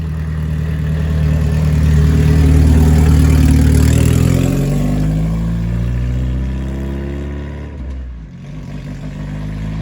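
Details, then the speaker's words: Crown Stock race car with a new intake: the engine revs up smoothly, then the note sags and nearly dies at a certain rpm, cutting out at the top. Owner suspects a rev limiter or chip issue; not confirmed. "yeah something's definitely going on with it so yeah it's definitely hitting a rev limiter or busting a chip or something"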